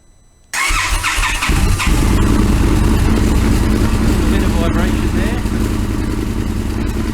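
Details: Indian FTR 1200 motorcycle twin, cold start before ECU remap raising idle speed (known cold-start stalling at idle): starter catches, fires up, settles into lumpy, uneven cold idle; no stall in this stretch.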